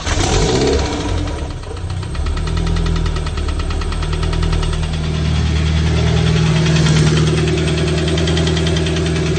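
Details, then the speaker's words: Honda K24 engine at idle: sharp tapping about four knocks a second, seeming to come from behind the timing cover. The VTC gear has been ruled out and no evidence of a fault was found; the engine is to be pulled. Cause not confirmed. "It sounds like it's coming from right behind the timing cover. All right, so it's obviously not fixing itself."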